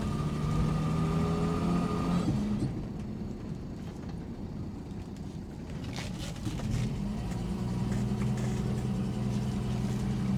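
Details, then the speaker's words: 1967 Mustang on a test drive after a new timing chain and front seal: pedal floored, the engine drones and sags, barely climbing. TPS reads high and the owner suspects low transmission fluid. It slowly improves while driving; hesitation under full throttle. "Okay, something's not right cuz I have the pedal to the floor and she is barely moving."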